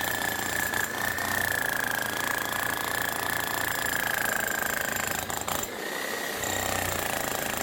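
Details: 25-year-old Bosch GSH11E demolition hammer whose old grease is suspected too sticky, with the striker possibly over-greased. It shakes at first, then settles into rapid, even hammering with a steady high whine and no wobble; normal running.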